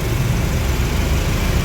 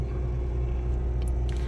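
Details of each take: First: Suzuki Swift, engine idling with AC on: low rough steady droning hum and vibration felt at the steering, hiss-like, gone with AC off; AC pressure hose leaking oil, to be replaced first; expansion valve or compressor also suspected. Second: Suzuki Swift with the AC on, after repair of a harsh drone and vibration felt at the steering wheel with the AC running: a smooth, steady low rumble with no harsh drone; the AC cools fine and sounds normal, with the compressor flagged to the owner.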